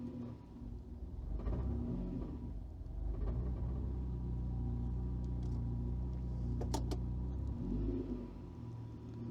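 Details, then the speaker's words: Engine on a newly wired aftermarket ECU, idling around 600 rpm with coolant temperature slightly low: low rumble sags and stumbles when put in gear, recovering out of gear. Unstable idle, with stalling after gear selection; a faulty idle control motor was later fixed. "If I take it out of gear, okay, it's picking itself up again. Could be because the coolant temp is a little bit low. Let's try again. See, stumbled a little bit there."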